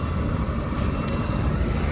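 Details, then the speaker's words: Audi A8 Webasto parking heater (fuel-burning, independent of engine) running at full output after sensor fix, having stepped up from part to full throttle while pushing coolant; steady even roar of burner and blower, faint high whine, outdoor noise; working normally. "So now let's hear it, the Webasto work. It's in full throttle. It's a little bit noisy here, but you can hear"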